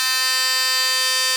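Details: Philips Sonicare toothbrush after repairing a loose tip/neck (screw fixed, non-original top part fitted): steady, even, high-pitched buzz running normally, then cutting off; now working as it should.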